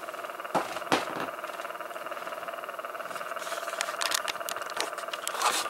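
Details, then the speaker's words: Pioneer RT-1020L reel-to-reel tape recorder, recently acquired and cleaned: quiet, fast, even flutter over mid-pitched motor hum with handling clicks; one side's reel motor fluttering, the side with a missing screw, possibly botched earlier service; cause unclear. "have a side that's looking this fluttering noise at this side that's for sure"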